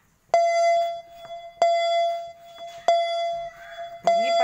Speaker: yang bunyi keduanya adalah asetbet pengaman tidak dipakai pada Mitsubishi Grandis